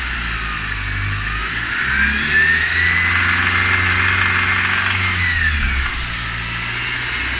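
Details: Mercedes-Benz C250 being revved: engine revs up and back down with an odd, uneven sound riding on it; strange engine noise, source unclear.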